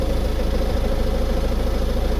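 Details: 2015 Ford Mondeo MK5 estate at idle, heard under the car: steady low drone with fast even flutter; humming/vibration in cabin at passenger-side rear traced to a loose fuel pipe cover.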